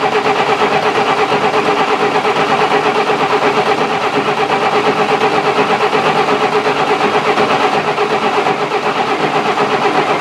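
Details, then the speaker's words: 1966 Canadian Valiant, low mileage, engine not started in 10 years, cranking with cold oil to build oil pressure: even, sluggish cranking about three turns a second, no firing; slow cranking from a weak battery. "apparently the battery i'm using doesn't have much juice in it and this gas is spilling all over i'm gonna fix that"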